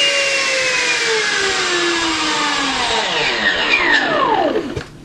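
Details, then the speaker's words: Electric ducted fan in a MiG-21 model build, run from a servo tester powered by the speed controller's lead, before the nose cone is fitted: smooth high turbine-like whine sliding down evenly as the fan spools down, no rattle or scrape; sounds good. "you can see it sounds good and you see that that turbine sound that you hear"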